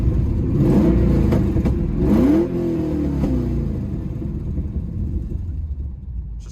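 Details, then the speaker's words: Trans Am V8, warm after about 15 minutes running, bad exhaust manifold leak: revs with uneven pops and crackles between blips; leaking side sucks in air, causing popping at the back. "that the exhaust manifold leak sounds i guess and obviously the leak on that side's sucking in air so that's why it pops a bunch in the back"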